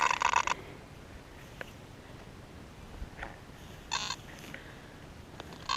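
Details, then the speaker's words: Simplex metal detector after software update, in Park 1 mode on frequency F2: short bursts of buzzy, crackly interference chatter over a quiet hiss on a penny target, picked up from the pinpointer. "this is in park one I'll have to check and see what frequency it's on but this is unbelievable chatter for a penny"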